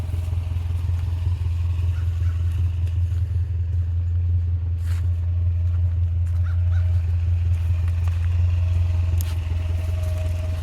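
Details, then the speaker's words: 1979 Subaru GL wagon after a long sit, now driven and just barely up to temperature: quiet, even idle likened to a sewing machine, no ticking or clatter; normal warm idle. "she is just barely up to Temp now this car is so wonderful listen how quiet she is sounds like a sewing"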